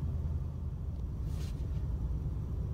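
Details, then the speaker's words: 1989 Cadillac DeVille 4.5L V8 warm idle after ECM replacement, new intake gasket and ignition parts: a low, steady, even rumble that drops as it warms, where before it held a high, surging idle. "hear that I hope you could hear that the idle is very stable. And it sounds like it's at an appropriate level. And in fact, it just kicked down because the car's warmed up."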